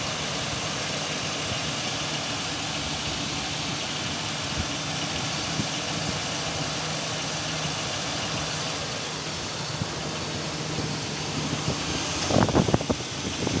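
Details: 2002 Chevy Silverado 2500 6.0 V8 idling with a faint uneven tapping under the rumble, about 80% quieter after switching from 10W-40 to synthetic 5W-30. Owner believes rod or lifter knock, not piston slap; not confirmed.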